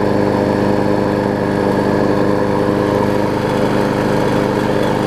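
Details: Murray 20-inch mower's six-horsepower Quantum-type Briggs & Stratton engine, freshly transplanted onto a damaged Craftsman deck with blade fitted, runs very quiet with a steady, even buzz, no knocks or surging; healthy.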